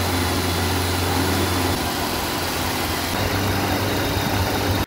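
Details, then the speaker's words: 1975 Vauxhall Viva barn find with newly fitted Weber carburettor and Edelbrock intake: steady but fast, busy idle never dropping to slow tickover; high idle, owner about to try 12 V feed to idle cut-off solenoid. "idling really high right I'm going to try running a 12 volt feed to the carburetor the idle shut off solenoid"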